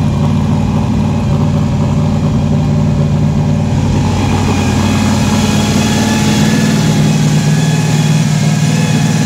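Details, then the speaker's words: Fresh-built 4.3 V6 drag truck with a 4L60E transmission, on first start after a starter engagement fix. Loud, lumpy, throaty idle at about 2100 rpm with a slight rise and fall, no knocks or misfires; good oil pressure and voltage, water temperature climbing. "all right we got our sitting right at 2100 rpm we got great oil pressure great voltage our water temp is starting to come up"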